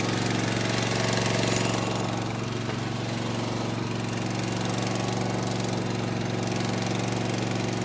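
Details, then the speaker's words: Gravely ZT HD 52-inch mower, Kawasaki FR691V 23 hp V-twin, after head gasket replacement, full throttle with choke on: strong, even V-twin roar with steady low thump, no misses or knocks, burning off a little oil; normal running. "Oh, buddy, listen to that sucker roar. You hear she's running real good. Just burn off a little oil."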